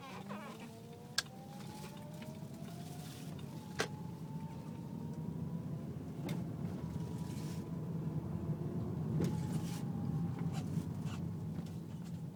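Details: Car with power steering whine turning below 10 mph, less at speed; fluid full, no leaks or foam, slight reservoir jump, belt normal: steady whine over idling engine, pitch sliding with wheel; pump or rack suspected, unconfirmed.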